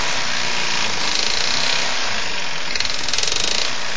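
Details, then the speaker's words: Champion lawn mower with a Tecumseh Advantage 3.5 hp single-cylinder engine that reportedly never had an oil change: harsh, rapid metallic knocking while running; owner suspects rod knock. "powered by a techy advantage or Tey Advantage 35 but 3.5 horsepower and um it's knocking quite badly"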